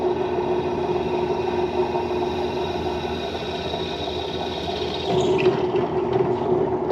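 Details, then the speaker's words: HDC DPMINI15 drill press, early 2000s, revived after being parked: steady, even motor hum with a smooth mid-pitch tone stepping up cleanly on a belt speed change; runs healthy, though the motor seemed slightly anemic. "Honestly, I don't have any complaints with the the way the motor sounds or the way anything really sounds. It all seems pretty good."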